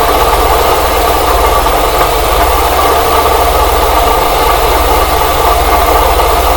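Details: Engine at idle, probed with a funnel-and-hose stethoscope: constant bearing-like whirring over the engine note; owner first suspected the tensioner pulley, oil spray changed nothing, now suspects the water pump though its pulley shows no deflection.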